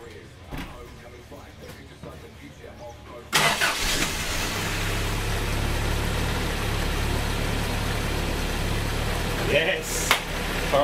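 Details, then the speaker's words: Toyota Hilux 4x4 diesel after a cab swap and an extended alternator harness: it cranks, catches and settles into a steady idle, and keeps running with the battery disconnected, showing the alternator works. Normal idle. "so now tonight is definitely working because the battery is now disconnected and the motors still running"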